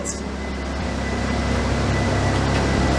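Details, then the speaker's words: Old MK3 Toyota Supra, first run after sitting at least two years, after plugging in the fuel pump: steady, even idle with smooth regular beat, no stumbles, misfire or smoke; runs cleanly. "it runs and it sounds good doesn't sound like it's missing or nothing so i'm gonna let it run"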